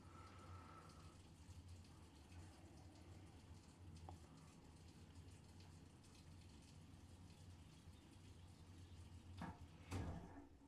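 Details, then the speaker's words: Newly installed water-powered Venturi-effect backup sump pump, meant for power-outage protection: low steady water rush and hum, even throughout with a few clanks near the end, draining normally in the corner. "And as you can see, our sump pump runs our backup."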